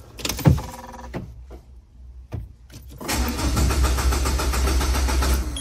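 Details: Peugeot 807, IAW6LP1 engine ECU, starts only sometimes and sometimes stalls after 5–10 minutes while driving, dash shows eco mode active: a few clicks, then steady even low-chug cranking without catching; crank no start, cause not confirmed, ECU wiring being checked.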